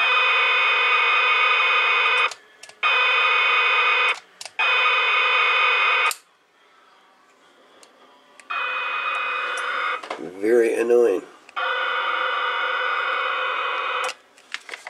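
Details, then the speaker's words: Cherokee CBS-1000 CB radio on external DC power, power supply bypassed, many capacitors replaced: harsh steady hiss with buzzy tonal edge on each transmission, cutting out between keyings; transmitter noise of undetermined cause, not capacitor or power-supply related. "regards transmitter well less yet to be determined but but this is what it sounds like on transfers"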